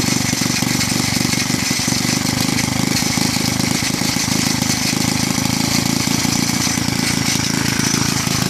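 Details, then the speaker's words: Villiers C12A small engine, unrun for about 25 years, choke off, no air filter: fast busy beat with harsh metallic edge, possibly from a loose flywheel guard rubbing; runs rough, owner suspects a partially blocked carburettor jet. "as you can see the Carby probably has a bit of a partially blocked jet or something like that it runs runs a bit rough doesn't actually have a air filter on it at the momen"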